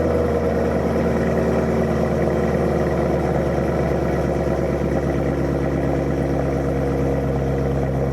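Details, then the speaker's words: C6 Corvette Z06 with new RPM heads and cam, Billy Boat mufflers, first start in shop: deep, loud bassy rumble with lumpy cam lope holding an even idle; healthy running with loud exhaust. "Yeah. It's definitely very bassy."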